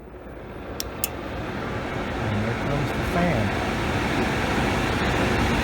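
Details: Outdoor AC condenser of a Comfortmaker gas furnace system switched on after the 24 V transformer was replaced: steady fan rush swells over a few seconds and settles with no rattles or scraping; normal running.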